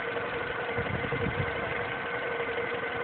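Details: MINI Cooper S with under 2,000 miles: a thin, constant, level whine over the steady idle engine note; cause not determined.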